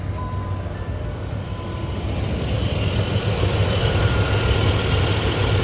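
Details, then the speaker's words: 2003 Dodge Ram 5.7 V8 at idle after replacing the idler and tensioner pulleys: a faint thin whine rides over the rumble; suspected alternator with some miles on it, unconfirmed. "The noise I hear currently sounds like it could be the alternator. It's got some miles on it, maybe, maybe not."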